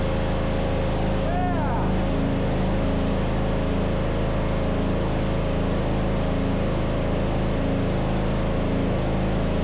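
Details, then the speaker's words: MTD Yard Machines riding mower, 13.5 hp Tecumseh single-cylinder engine, neglected and stopped working; after starter fault fixed it catches and runs evenly and steadily with no misses or knocks; normal running. "Success! It was a starter all along. I was afraid it was going to be that compression thing on inside the engine, but thank God we didn't have to go through that. I'm happy. I like that sound."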